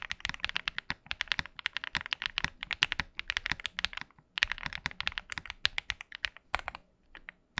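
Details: KBDFans Tiger80 TKL mechanical keyboard after force break mod all around and EVA foam to remove stock ping and hollowness: fast typing gives crisp, tight clacks with no ringing ping or hollow echo.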